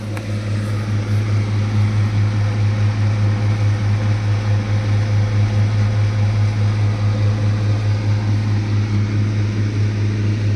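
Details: Blue Star deep freezer: a loud, steady low hum with slow regular pulsing, about two beats a second. It runs far noisier than it should.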